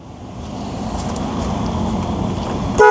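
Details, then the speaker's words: MGF VVC, stationary, engine idling, oil known to run very hot: low engine hum then one short, loud horn toot with a clear steady pitch; horn works normally. "Oh, the horn works."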